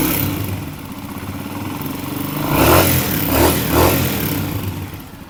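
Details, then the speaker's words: Old-model Honda CG 125 single-cylinder, running and blipped before tappet adjustment: light rapid ticking clatter over the engine; tappets making a lot of noise, needing adjustment. "इस bike के जो टपट है वह काफी सारी आवाज पैदा कर रहे हैं"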